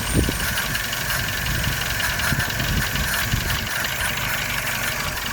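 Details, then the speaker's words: Toyota 1SZ-FE petrol engine at idle: smooth running with faint steady high whistle from the idle air valve; whistle disappears when valve is turned slightly below marks; owner suspects old rubber seal or shifted valve. "слышно маленько вот этот дурацкий свист Если клапан покрутить чуть-чуть ниже меток то свист исчезает"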